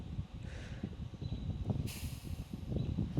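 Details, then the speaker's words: MRCOOL Universal Series 2–3 ton condenser, unused about a year: opening the service port on the line set gives a short quarter-second hiss of refrigerant that had worked past the valve, then nothing; not a continuous leak, leak check still planned. "Okay, yeah, it was just a little hiss. Just a little bit worked past."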